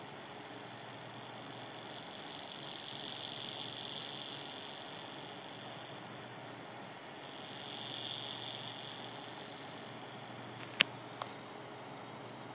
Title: AMD A8-6600K cooler - strange noises